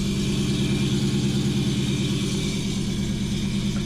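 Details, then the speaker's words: 2004 Ford Mustang Mach 1 project car. Steady metallic rattle about three times a second over the idle, coming from the bellhousing area; owner had never heard anything so bad, and clutch or flywheel damage is likely. "Oh my God. That's miserable sounding. That sounds awful. I've never heard anything like that."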